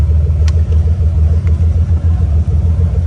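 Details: Car idling for quite a while after a fuel pump control module bypass; the ground wire is not getting hot. Low, steady rumble with a gentle pulse of about two beats a second and no knocks or misses; the idle is settling evenly.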